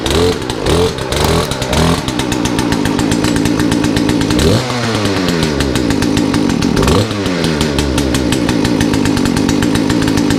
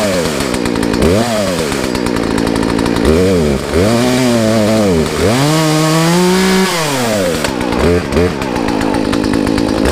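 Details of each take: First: Poulan chainsaw after a Zama carburetor rebuild kit, new air filter and fuel filter: revs surge up and down and won't settle. Owner suspects the carburetor setting was too low and will recheck the adjustments. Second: Poulan two-stroke chainsaw after new air filter, fuel line, fuel filter and Zama carb rebuild, high and low jets set 1.5 turns out: revs climb and drop cleanly with throttle, no bogging; runs healthy, maybe not 100%.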